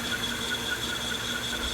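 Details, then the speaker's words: Sony VO5800 U-matic VTR in fast forward: steady high-pitched squeal over the transport whir from an Ampex tape with sticky shed syndrome dragging on the heads. "You can hear the tape squealing. Sticky shed syndrome. Crap. Ampex"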